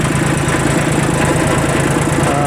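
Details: Kubota L1802 Japanese 18 hp 4WD diesel mini tractor fitted with a 1.5 m rotary tiller: steady, low diesel clatter at idle with even pulses and no knocks. Idles normally.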